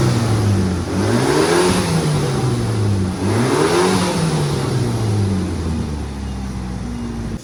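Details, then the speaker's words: Engine just installed in a CK-to-Evo AWD conversion, revved several times: smooth rise and fall with no valve tapping or knocking underneath; healthy engine. "Saya dengar dari suara mesin mesin sangat sehat ya teman-teman Eh mau digas suaranya pun halus enggak ada bunyi klep atau bantingan Club ya"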